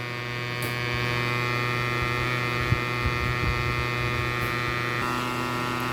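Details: Bridge SB-3500 DP amplifier under repair: steady low electrical hum with a buzzy edge, constant with no music playing; mains hum fault.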